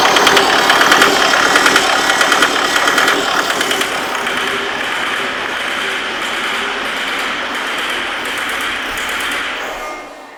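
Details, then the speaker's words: 2008 Jaguar X-Type 2.0 diesel, harsh running, rattling and smoking: uneven clattery running with a lumpy beat about three per second as the test lamp on the fuel pressure regulator pin dims; wiring fault cutting regulator power. "i think you would have seen when that was running there the test lamp was going dull um engine was still running like a pig should we say"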